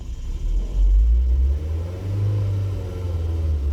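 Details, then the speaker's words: Engine with code P0400: after a throttle blip the revs hang high, then hunt in a slow lope that gets worse in drive. A vacuum leak was first suspected; the cause was an EGR valve stuck open. "Yeah, and they want to stay idling high and it's loping."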